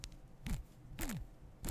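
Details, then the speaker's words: Brushless outrunner motor removed from a Reflex 38 RC plane, hand-spun three times: dry rattling clatter dropping in pitch as the bell slows; the motor is worn out and will be replaced with a Cobra 2814. "can you hear the rattle it is properly shot so I am going to pledge the magnets out of there that's for sure"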